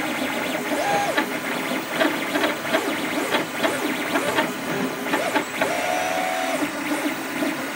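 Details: Creatr HS 3D printer making abnormal mechanical noise during operation: stepper motors whine in shifting tones under irregular rasping bursts as the head moves; print bed also not level.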